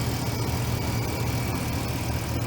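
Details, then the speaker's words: Lexus LX470 with a 4.7L 2UZ-FE V8 at about 323,000–327,000 miles. First start after timing belt job, new coolant (cap off to burp air) and oil change: deep, even, steady idle with no knocks, ticks or misses. "okay it's alive no way sounds beastly too holy moly"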